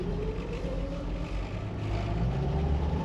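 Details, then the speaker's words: 1999 Jeep Wrangler TJ on a test drive after rebuilding the Dana 35 rear diff: steady low engine and driveline drone with no rattle, clunk or whine. Before the repair it sounded awful. Rear differential now normal. "Dude, she sounds good. Oh. Remember, we couldn't even get to the stop sign and she sounded awful last time."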